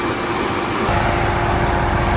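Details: Audi S5 after installing new intercooler, AC condenser, hoses and power steering cooler, refilled with coolant and power steering fluid: steady, even petrol idle with a smooth low drone, no knocks, ticks or hunting; sounds healthy.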